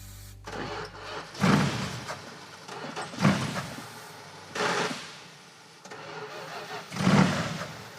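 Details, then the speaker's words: 1970 Buick GS 455 V8, revived after years sitting, cranked on starting fluid: four cranking bursts each catch briefly then die as the starter stops. The ignition cuts out because the ballast resistor was disconnected; once fixed it idles. "Does sound like the ignition shuts off. Where's the ballast resistor? Aha, that's why that's disconnected."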